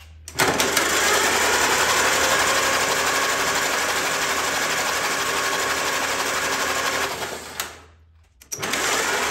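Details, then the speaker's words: 1944 Allis Chalmers B tractor long stored, freed with oil, spark plugs installed: starter whirs and labors with a slow steady beat about four per second, barely turning the stiff engine; starter struggling to crank stiff engine. "the starter is still struggling to spin the motor with all the spark plugs installed even now after it's broke free a little bit"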